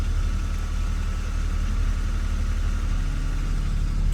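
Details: Nissan Frontier idling after alternator belt replacement to cure a startup squeak on grease-coated belts: low, even idle rumble with no squeal or chirp from the belt area; clean, healthy start and idle.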